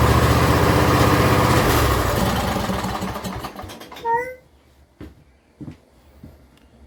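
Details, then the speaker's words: John Deere L120 mower, choke on: runs strong on a splash of gas in the intake, then fades and dies within seconds; carburetor not feeding fuel, replaced with a new one. "So that's with the choke on. I can put my hand over it and everything. Still doesn't want to start."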